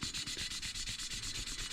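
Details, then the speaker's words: Rally car engine rebuild, cylinder head: a valve being lapped into its seat with grinding paste gives rapid, even, gritty rasping at about seven strokes a second that gets quieter as the seat beds in; valve lapping grinding. "There you go, it's loud, and you hear it get quieter."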